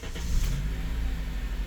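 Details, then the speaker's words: 2006 Honda Element K24 after a genuine Honda injector replaced the faulty cylinder 1 injector (P0301): it starts quickly and idles smooth and even, with zero misfires on live data. "I can already tell that it's running really smooth."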